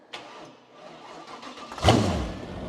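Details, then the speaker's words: Cub Cadet garden tractor fitted with a 305 Chevy small-block V8, after a new fuel pump was installed: quiet lead-in, then it catches at once with a crisp bark and settles. A clean, healthy start. "Dude, that startup is so legit."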